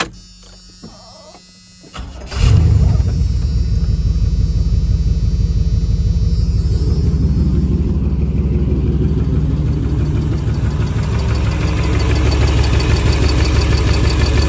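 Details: 1996 350 Vortec V8 with carb and HEI in 1989 Chevy 1500 cranks, idles with light steady tick about three a second; persists after new rod bearings; owner suspects valves too tight, lifters, cam, or piston slap.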